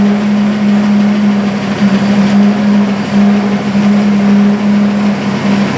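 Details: Buick engine in burnt P12 car, rear wheels off ground, after refitting valve covers with gaskets and topping off oil: steady even note, no knocking; owner thinks the loose valve cover had been hitting a rocker.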